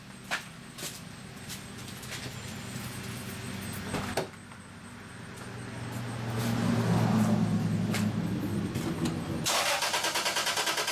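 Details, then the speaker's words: V6 after six new spark plugs and cleaning mass airflow sensor and throttle body: cranks with short hesitant catch then settles into smooth, steady idle without misfires; running good. "But yeah, it seems like she's running good."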